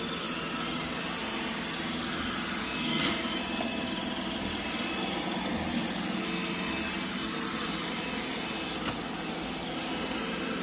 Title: Brand new irobot #roomba combo issue. Makes a loud rattling sound , since out of the box